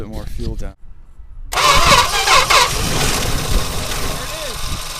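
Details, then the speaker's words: 1963 Dodge 330 with slant six, first start in about 25 years after pre-lubing cylinders, on a borrowed Durango battery and starting fluid: catches after a few cranks and runs unevenly and lumpily for a few seconds; rebuild planned. "how was it it was kicking over and this things about to run first time in like 25 years"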